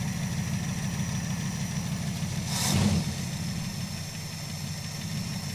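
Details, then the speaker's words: Crew cab Charger project after spin prime test, before ignition timing set: steady idle with a fast, light ticking and one brief throttle blip; lifter tick still present, suspected, not confirmed. "Sounds like that lifter tick still doing its thing."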